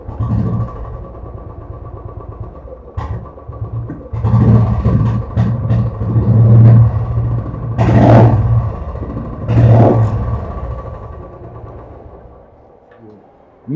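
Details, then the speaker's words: Royal Enfield Classic 500cc: single-cylinder thumping with uneven beats, throttle blips stumble and sag; misfire traced to a badly positioned sensor, fixed by repositioning it lower. "एक बार मैं आपको दिखा देता हूं कि जो meeting की प्रॉब्लम है वह किस तरह की है"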